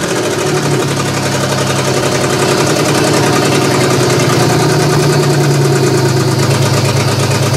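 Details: GM 3100 V6 in a Camry derby car, first start-up, vacuum leaks present: lumpy, uneven idle stumbling about three times a second as one cylinder drops out; owner suspects cylinder two misfiring, possibly a bad coil pack; old fuel smells bad.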